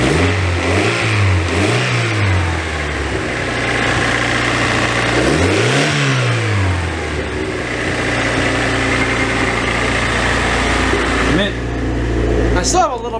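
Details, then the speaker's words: Honda Prelude after new head gaskets, exhaust refitted: revs swing with uneven lumpy note and scattered pops; owner suspects a vacuum leak at a top fitting leaning it out and causing the popping, unconfirmed. "this top things leaking I'm probably not getting is getting enough pressure in here and it's just leaning out that's why I probably why it's popping"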